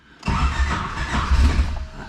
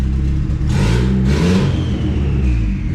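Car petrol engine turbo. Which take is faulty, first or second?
first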